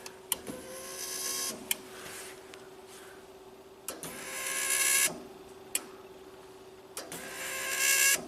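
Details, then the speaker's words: 2000 Genie S60 four-wheel-drive boom lift that sat for years and won't start: short high-pitched electric whirs switching on and off as the toggle switch is moved. Possibly the fuel pump energizing, but this is not confirmed. "Now I don't know if that is the fuel pump or not."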